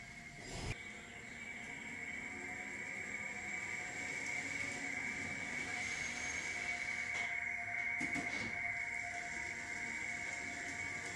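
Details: 2016 Toyota RAV4 XLE Hybrid pedestrian warning sound while backing out of the garage below 15 mph: steady high whistle-like tone over faint rolling noise; normal operation.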